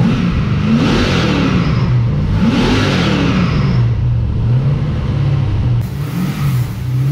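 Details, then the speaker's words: LS1 V8 in an XG ute, first start in the car with upgraded carby and homemade full exhaust: loud raw exhaust, two clean rev blips falling back to steady idle; normal healthy running. "that's loud that's awesome that's what you want you want quite an idol yeah loud up top"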